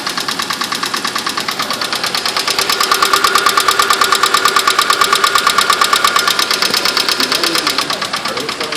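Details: Mitsubishi Mirage, cold start in winter: fast, even hollow knocking over the idling petrol engine; piston slap that fully goes away once warm and never occurs in summer.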